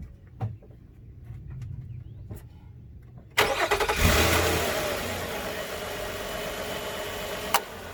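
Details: 2013 Nissan Pathfinder at 265k miles, restarted after AC compressor clutch and serpentine belt replacement: a few faint clicks, engine catches at about 3.5 seconds and settles into a steady even idle; new belt sits centered; normal start and idle.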